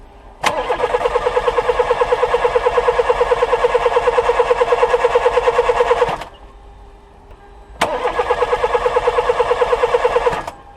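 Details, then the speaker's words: Old VW Polo 1.4 petrol that won't start: two bursts of steady starter cranking at about three beats a second, engine never fires; mechanic suspects the ignition coil. "Je pense que ça c'est pas bon ça. Je pense que La bobine est à remplacer."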